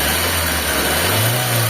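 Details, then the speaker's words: Mitsubishi Lancer 4G15 after engine repair, before break-in, weak battery but one-click start: revs up smoothly with a clean rising note, no knocking or rattles, former engine noise gone. "Yan. So smooth na mga boss. Wala na yung maingay dun sa makina."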